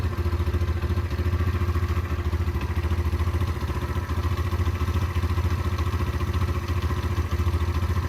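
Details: Derbi 125 motorcycle (model unknown), a former non-runner, being ridden after a carburettor clean and fuel tank clean: smooth, regular single-cylinder thump at a steady pace with deep, even exhaust pulses; it runs cleanly and normally.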